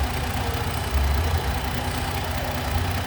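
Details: 2011 Dodge Nitro V6 idling uneven and lumpy, with irregular dips and stumbles: multiple-cylinder misfire, along with an oxygen sensor fault; a bank 1 sensor and the plug wires and spark plugs were replaced, yet the misfire persists.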